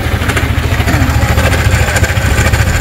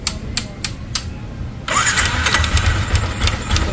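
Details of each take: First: Yamaha Sniper 155 at 56,600 km with check-engine light on; rough idle with a fast, light ticking rattle riding over the exhaust beat. Mechanic first hoped for a loose tensioner, then suspects a failed cam bearing, or something on the magneto side. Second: Yamaha Sniper 155 at 56,600 km after cam bearing replacement; a few starter clicks, then it fires and settles into a steady, even idle with no ticking or rattle from the top end; now quiet, cam bearing confirmed as the problem.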